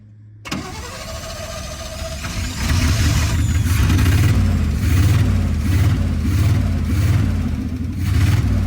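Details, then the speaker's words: 1955 Chevy with 283 small-block V8 and Hurst shifter, first start after 37 years parked in a field, new cap, rotor and points: lumpy, surging running with a pop, likely a backfire; carburetor suspected badly out, needs going through. "Something popped. I think it just backfired cuz the carburetor is so messed up. Yeah. This needs to be gone through."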